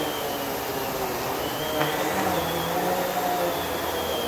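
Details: New Kenmore vacuum on carpet at medium height setting after low setting bogged down: even, steady motor roar with constant airy rush, no surging or rattles; normal running.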